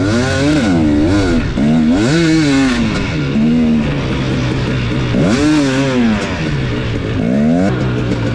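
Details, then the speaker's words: Two-stroke dirt bike on track after a carburetor swap cured its lean jetting: a rough, fluttering crackle each time the throttle is shut, sounding mechanical rather than lean popping, which led to tearing down the engine. "it sounded really really good the next time i wrote it but i was still hearing that like fluttery cracking noise"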